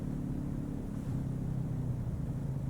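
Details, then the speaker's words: Ryobi 2300 electric-start inverter generator, remote-started from its phone app with a small load of about 60 W of lights. With auto idle switched in the app, a steady low drone revs up and then settles back to idle: normal auto-idle behaviour. "settings; 'auto idle' It just revved up I don't know if you can hear that but I can."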